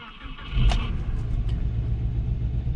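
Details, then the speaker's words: Cold engine just restarted after new exhaust manifold gaskets, with the MAF unplugged: a fast idle at about 2,000 rpm that runs lumpy and uneven, sounds misfiring and sags. Owner says it also sounds like a bad exhaust leak. "Okay. So this is 2,000 RPMs, but it sounds very misfiery. And it's going down, too."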